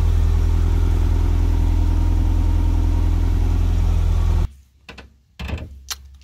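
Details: Nissan engine now running on a Link ECU after refitting the stock crank trigger in place of the 36-1; started slightly rich. Steady, even low idle with no misses, ticks or knocks for several seconds before shutting off; healthy, settled idle.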